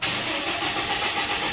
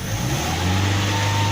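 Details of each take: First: Toyota Innova four-cylinder, started after a spark plug and coil check: the starter cranks about four and a half seconds before catching, slowed by cleaner fluid in the injection, then settles to a normal, even idle. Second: Toyota Innova 4-cylinder after checking spark plugs and coils, pedal raises revs from idle: steady even note with no stumble or missed beats; engine normal, normal rev, no misfire.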